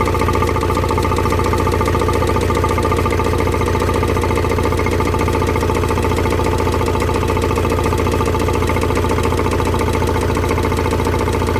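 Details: Renault M9R diesel engine in a Vauxhall Vivaro van idling with a heavy, regular deep knock; bottom end gone, crankshaft seals spinning on the crank from lack of oil feed after oil pump failure.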